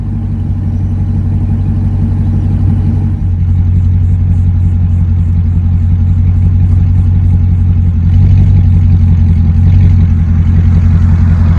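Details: Dodge Durango RT V8 after the exhaust leaks were fixed and the tips extended out the back, now louder and sealed with no leaks. A deep, even idle rumble swells smoothly with a couple of blips and settles back, no puffing or ticking. Normal exhaust note.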